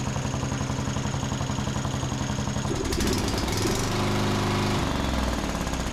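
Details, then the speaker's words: John Deere D110 riding mower after the spark plug was gapped to 0.030 in and tightened and the carburetor richened about a quarter turn: quick regular thumping settling into an even, steady run with no misses. "That sounds much better. They have those little safety caps that don't allow you to adjust the carburetor very far, but that probably made another quarter turn to richen the mixture, and that seems to sound a whole lot better than it was."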